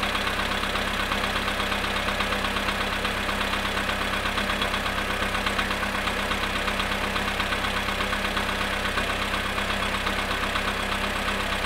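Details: VW Polo sedan cold start at −2 °C after sitting 22 hours: cold idle with steady, fairly even tapping near three per second over engine note; cold-start engine knock, source unclear.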